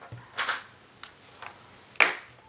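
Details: Fujifilm X-E1 with lens mounted, pressing playback: a few sharp irregular clicks and one crunchy snap from the lens mechanism in a quiet room, not a normal sound; lens clicking noise.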